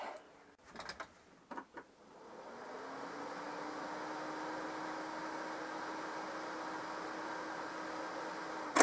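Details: Renault Super 5 after head gasket replacement, starting with coolant between min and max: catches after a few clicks, settles into smooth, steady idle with faint even hum; runs normally.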